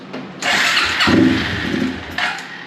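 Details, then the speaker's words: Long-stuck Suzuki 4-wheeler unrun for years, first start on carb cleaner sprayed into carburetor with seized start jet: engine fires and runs about two seconds then dies, no loud knock, showing enough spark and compression. "we know that it runs we know that it's got enough spark and enough compression to actually light off and didn't make any loud knocky sounds you know that's that's good"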